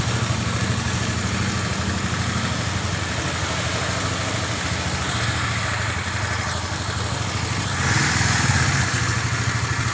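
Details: Honda CB150 (old) engine after a full rebuild following seized-engine breakdown with a broken connecting rod: quick, even single-cylinder putter at idle, blips a little higher and settles; smooth, healthy normal idle.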